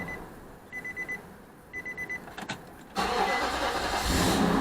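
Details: 2006 Nissan Armada 5.6 V8 (body 185,000 miles) restarted after engine swap: key-on chimes, a short crank, then it catches promptly and settles into a steady, even idle with no stumble. Normal start.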